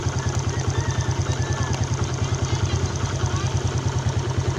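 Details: Yamaha Jupiter Z Robot single-cylinder at idle: harsh, clattery, uneven pulse about three per second over a low drone; rough engine sound being diagnosed, one-way clutch replaced with a Vega ZR part; cause not pinned down.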